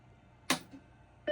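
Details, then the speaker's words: Macintosh 512K that earlier showed a checkerboard screen and crashed, switched on after warming up: power switch click, then a clean steady single beep; boots normally. "No, it's booting right up. Okay, good."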